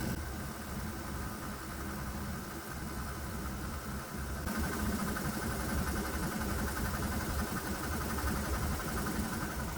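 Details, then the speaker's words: 196cc 3hp single-cylinder diesel running on propane plus vaporized alcohol in intake: steady low thrum with hard rhythmic knock each beat; propane smooths exhaust tone but diesel keeps knocking. "So the propane definitely smooths out the tone of the exhaust. If we ignore the knocking sound, well, this engine sounds really good."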